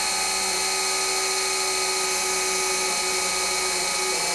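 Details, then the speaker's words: 1955 Buick Special engine, parked since 1968, oil pump primed with a drill: steady even drill whine without labouring; pump pumping strong, about 40–50 psi seen; normal priming. "But you can see this oil pump is pumping. real strong. And I think we saw 40, 50 PSI."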